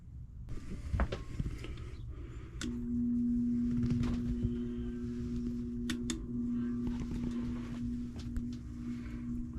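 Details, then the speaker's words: 1949 GE Vortalex 16-inch fan, unused over a year, started cold: steady low hum holding one pitch as the fan struggles to spin up; owner suspects cold, thick oil makes it slow to start. "it is cold so any oil in there is going to be a little bit slow starting it's going to make everything slow to start with it with the oil being cold and thick and all that"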